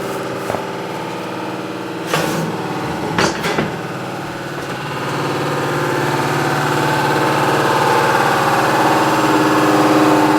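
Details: Washing machine that sounded like a diesel engine during the spin: heavy engine-like rumble rising through the spin with knocks early on and strong vibration; the cause was a broken drum bearing, not the shock absorbers, which were replaced first.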